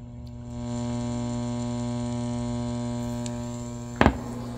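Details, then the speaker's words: Hand-built AA1164 Princeton Reverb clone amp from 2021: steady low mains hum with a buzzy edge, worse with the reverb knob turned all the way up; the hum is picked up in the reverb circuit. "turn the reever all the way up it's worse"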